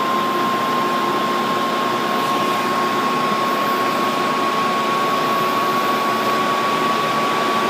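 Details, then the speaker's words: Dell Precision 490 powered on with case open, beeps and enters fan test mode: steady even rush of air with faint constant high whistle, no ticking or rubbing; normal fan noise at full speed. "because you can hear the fans really start to crank up to full speed which I'm just going to let you hear this because they sound really quiet but this is how they sound full speed"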